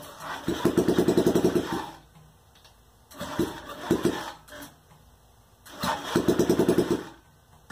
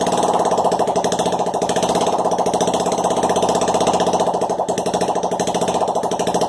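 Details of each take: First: Honda Ruckus scooter project bike, sat with possibly old fuel, now on fresh gas after radiator fill: engine fires in short uneven bursts that die away between attempts, never settling into a clean idle; runs rough, cause unclear. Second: Project Honda Ruckus scooter engine, hand-throttled, barks with loud, sharp, rapid even popping at steady speed through an open exhaust port with no exhaust fitted; the engine runs fine.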